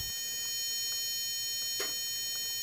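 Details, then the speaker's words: Home-built Maxwell Boostcap supercapacitor D-cell pack running a 1200 W modified-sine inverter: steady piercing high tone with faint ticks as pack voltage sags from 10.1 to about 9.9 volts; inverter low-voltage alarm before shutdown. "you should hear the inverter beeping due to the low voltage and I'm gonna keep it going until it shuts up there you go that's the warning"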